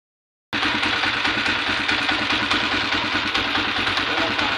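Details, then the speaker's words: Engine with timing gear, cam follower and pushrod replaced: light quick ticking from the top end over steady idle; worn rocker arm with excess play makes valve clearance change and tick. "yan b Ito po malaki na po yung play ngaran yan Kaya minsan Kap lang malagitik na at nagiiba yung adjustment niya mga ka- motorworks"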